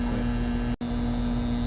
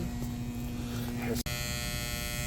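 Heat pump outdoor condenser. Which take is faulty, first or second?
second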